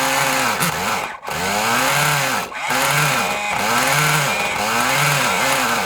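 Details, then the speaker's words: Kyosho Mini Inferno nitro RC engine after priming and a carburetor screw adjustment: a high-pitched buzz that surges and sags about every second, briefly dropping out. Erratic running; the owner suspects the glow plug. "oh all right and the problem is glow plug to be honest and I haven't got another one of them"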